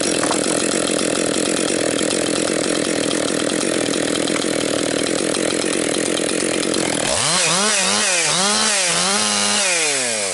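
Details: Rebuilt Husqvarna 262XP chainsaw during break-in, compression come up, bucking dry, dusty pine; steady high scream through the cut, then crisp free revs blipping up and down, pulling cleanly; normal healthy running under load.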